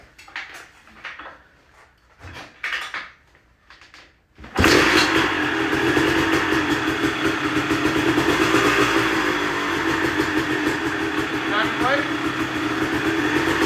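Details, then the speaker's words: 1998 Kawasaki KX250 two-stroke after ignition timing corrected to 11 degrees retarded instead of 22 advanced, previously fouling plugs and not revving; fires and settles into crisp steady crackle with clean pickup, normal running. "And it's night and day difference. It's not even the same bike."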